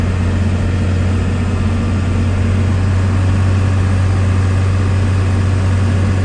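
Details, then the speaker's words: 1993 Dodge Ram W-350 4x4, 5.9 12-valve intercooled Cummins diesel, 51k miles, fully serviced, automatic four-speed, driving uphill through gears: deep steady diesel drone, no slipping or hard shifts; engine and transmission sound healthy. "so you can hear the 12-valve run as well as the automatic four-speed transmission go through all the gears you can hear for yourself how it doesn't slip or shift hard at all"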